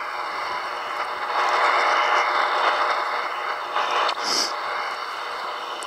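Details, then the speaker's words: Grundig shortwave radio tuned to 10 MHz at off-grid solar house: steady buzzing hash and hiss drowning out the time signal; radio interference from the solar inverter. "Okay, I'm on 10 megahertz on my little Grundig radio. You can hear all the hash and noise."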